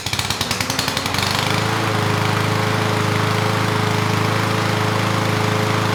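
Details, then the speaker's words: 21-inch Husky push mower (model 11A-B2M7031) with Powermore overhead-valve engine, found in the trash, after carb work and a replacement air filter: catches after a few uneven pulses, then settles into a steady, even drone with no misses; running well. "all right good the carb is running the engine pretty well so at this point it is a usable machine"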